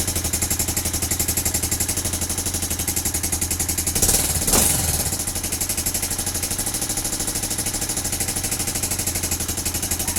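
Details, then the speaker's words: Vega Force Fi motorcycle, not yet in use: rough idle with hard steady clatter about four times a second, louder on a brief blip; owner attributes it to piston and connecting rod, to be replaced. "Kasi ganito yung tunog niya guys, kasi gas yung black. Hindi ko pa nabibilhan. Tsaka ano, ano yun, piston at tsaka connecting rod. Yun ang papalitan nito."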